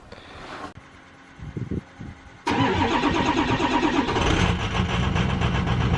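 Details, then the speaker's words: 2007 Ford F-250 Powerstroke diesel, first start after MBRP 4-inch cat-delete exhaust install: cranks briefly, fires, settles to deep even idle with a rise in revs; no ticking or puffing exhaust leak. Normal start and idle. "We're going to fire it up for the first time, see how she sounds, and then go through and double check all the clamp spots for any exhaust leaks or anything like that."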